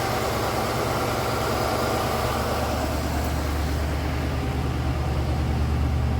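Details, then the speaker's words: Ford LTD after new aluminum radiator install and further fixes, restarted: steady low rumble with even beat, nothing knocking or squealing; healthy idle, runs well. "yep she runs well"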